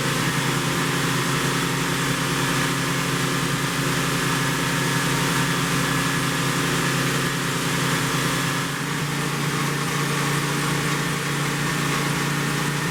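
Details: 1972 Plymouth Roadrunner 383 Magnum V8 with stock/RV-grind cam, break-in run (~11 minutes total) after 15+ months unrun: steady fast idle around 3000 rpm, smooth and even, no ticks or knocks; normal fast idle.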